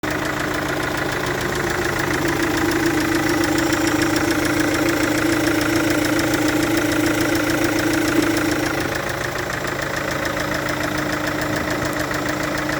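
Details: Chevrolet Captiva VCDI diesel at idle with compression leaking past an injector: steady idle with sharp rhythmic puffing tick and hoarse hiss on each firing.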